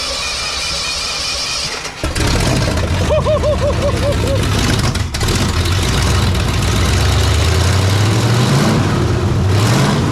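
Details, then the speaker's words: 1968 Ford F250 "Ole Red", Ford 360 FE V8 after engine grounding, starter solenoid working: fires after a crank and settles into a steady rumble, no header knocking or ticking through revs; sounds healthy. "sounds better sounds better when those headers not knocking Like A Dickens old man we don't want to get it too hot but whoa that's pretty good success"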